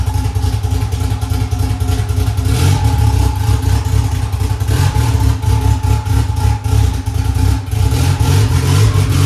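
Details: Honda S2000 2.4 race engine after rod bearing check following 5-6 months hard racing: catches and runs steady and even with clean revs, no knocking or ticking; good oil pressure; running good.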